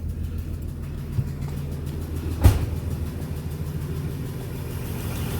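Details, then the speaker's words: Ford truck just after an oil pan leak repair, running 15W-40 diesel oil, started and idling before warm-up; a smooth, even low idle with one brief thump and no knocking or ticking; the engine is quiet and healthy. "wow no the motor is actually quiet"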